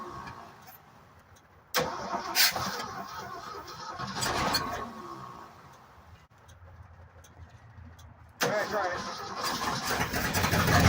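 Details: 1965 Ford F-250 pickup that sat five years, first start on gas from a can with choke adjustments: repeated cranking bursts with pauses, then catches and runs rough; carb issues from long storage suspected.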